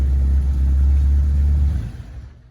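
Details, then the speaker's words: Merkur XR4Ti turbocharged, manual transmission, long-stored estate car, first fire-up after fitting a battery: deep, even rumble revving cleanly then winding down smoothly toward idle, no knocking or misfire; smells of old fuel; normal running. "it's running [Music] incredible it runs it runs at this point runs i can hear the turbocharged power incredible it's alive alive oh boy it smells of wonderfully old fuel"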